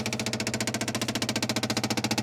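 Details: 1967 Opel Rekord 2DHT Coupe, unused for years: steady rapid starter chug, roughly twelve compression beats a second, with no firing at all; cranks but won't start, kinked hose found.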